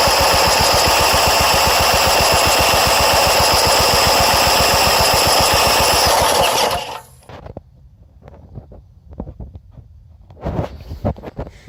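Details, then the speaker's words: Old tiller engine cranked with the spark plug installed, throttle on low and choke on, but the gas tank is empty. Rapid, even chuffing at about four per second for several seconds, never firing, then stopping; cranking with no fuel. "It might be able to fire if it had gas in it. It ain't got no gas in it."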